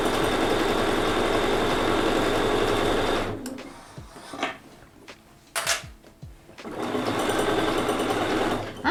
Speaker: i don't know if you can hear it but this little this little walking foot here it is squeaking it might need some oil